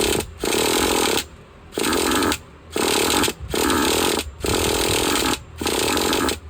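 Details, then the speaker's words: Used Traxxas Jato with nitro 2.5 engine, primed, low-side needle flushed: repeated one-second buzzing bursts that die between pulls; needs more idle gap air or more low-side fuel; fires but won't run, lean idle mixture. "so whenever they're doing that they either need more air on your idle Gap or they need a little more fuel on the low side so we're just going to give it an eighth of a turn and they'll you usually just fire right up"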